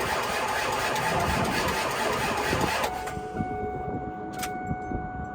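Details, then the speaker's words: Ford 7.3 diesel after the blown-fuse repair, wait-to-start light now working, 3/4 tank: starter churns sluggishly at about three beats a second and never catches. Slow crank with no start; a bigger jump box may be needed. "we'll try it one more time might have to get the big jump"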